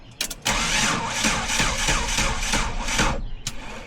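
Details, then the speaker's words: Jeep that cranks but won't start, after crankshaft and camshaft sensor replacement: slow uneven cranking at about three and a half beats a second that never catches, then quits, because repeated cranking drained the battery. "not enough juice. >> Probably need to put a jump box on it."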